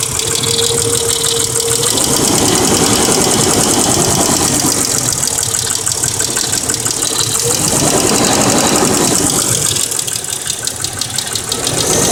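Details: 1999 Mercedes W163 ML320 petrol, nearly 200k miles, at idle: steady light ticking about three to four per second, suspected lifter. It began after an oil change to Mobil Super 3000 X1 5W40 with a new fleece filter. Before that, lifter noise lasted only 10–15 s on cold start. Audio is boosted.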